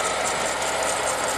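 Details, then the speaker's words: Holden LS2 V8 (Club Sport) idling: rough gritty grinding rasp from a worn water pump bearing, with green coolant leaking from behind the pump; pump replaced. "I don't know if you can hear it on the phone, but on the video, but you can hear a grinding sound coming from in here."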